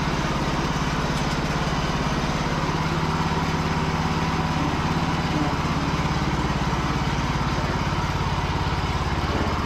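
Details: Cub Cadet riding mower, started for a deck test. Steady, even putter at about three beats a second with no misses, knocks or hunting; healthy running.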